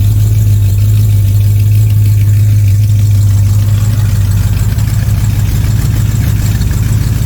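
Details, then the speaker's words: 1979 Corvette C3 just fitted with a Holley Street Demon 625 CFM carburetor: deep V8 idle with a fast, uneven puffing tick; exhaust leak where the manifolds meet the side pipes, needs a new pipe. "That's where the where the uh manifolds meet the side pipes. It needs a new pipe there."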